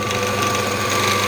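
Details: Scheppach DMS 900 lathe after replacing the seized variable-speed pulley and the bearings, running as the pulleys are shifted with the rear lever: smooth, even whir with a steady high tone, no knock or grinding. Normal running.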